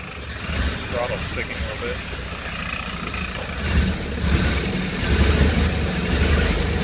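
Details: 1931 Ford Model A four-cylinder, 6-volt, running after 10+ years stored in barn, timing adjusted, bad clip connection fixed; low steady rumble rising as throttle opens, no misses or knocks; running fine.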